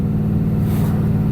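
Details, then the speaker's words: Truck with aftermarket Borla exhaust, heard inside while cruising: deep, steady booming hum with no knocks that drones at certain rpms; owner considering a Corsa instead; exhaust drone. "it it's it's got a drone to it it definitely has a drone to it at certain rpms"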